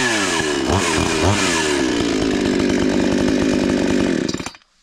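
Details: 52cc two-stroke chainsaw, rebuilt with old parts refitted, stripped bar studs replaced and recoil top screw fixed; started with switch on, choke out, chain brake on; picks up to a steady, even high buzz with no misses, shuts off cleanly: normal running.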